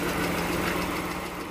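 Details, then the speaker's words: 2013 Jeep Wrangler idling with a light, fast tick in time with the engine, present for a couple of months; a fresh oil change helped a little, before adding Liqui Moly hydraulic lifter additive; likely valvetrain, cause not pinned down. "so my Jeep is ticking so I'm ticking for a couple months now and I just gave it oil change and it seemed like it helped a little bit but it's still ticking all right so there it is ticking ticking away"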